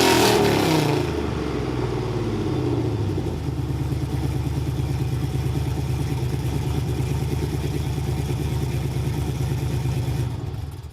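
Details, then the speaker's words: GMT900 Chevy Silverado V8 with long-tube headers, Y-pipe, added resonator and axle-dump exhaust on new hangers: loud start-up roar settling into a deep, choppy idle of about three pulses a second. Loud but even, healthy exhaust. "so that's the truck sound now i think it sounds phenomenal uh definitely helped a little bit while towing not as bad as droning as before it's still super loud"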